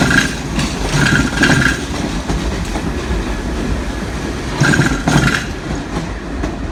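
A train rolls through with steady rumble and clatter, plus a few brief high squealing bursts; the odd noise's cause is unclear.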